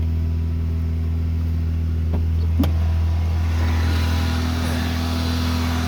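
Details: 1987 Honda Accord, 130k miles, cold start: fast idle won't kick off, staying around 2500-3000 rpm even at operating temperature; steady elevated hum that never drops; high idle.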